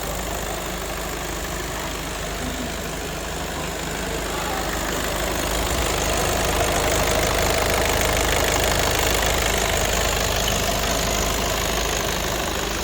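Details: Audi A3 diesel idling after its injector seals were replaced to cure oil and diesel leaks at the injectors: a steady, even diesel idle with the usual light clatter and no misses or stray knocks; a normal, healthy idle.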